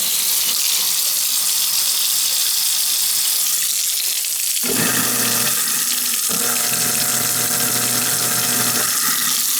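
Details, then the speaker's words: Old, slightly rusty kitchen garbage disposal that had been hard to move, spinning freely with nothing bound up after being reset; buzzing motor hum over rushing water, running rough and loud. Noisy garbage disposal. "It's spinning. It's a noisy bugger though, isn't it? It doesn't sound like it."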